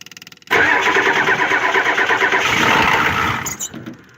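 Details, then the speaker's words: Ford 7.3 IDI diesel, glow plugs off, a couple of sprays of starting fluid into the intake: a few slow cranking pulses, then it fires almost instantly and runs rough-even before shutdown. It was possibly already warmed up. "much instantly now could just bend the fact that already warmed up but that pretty much happens every single time"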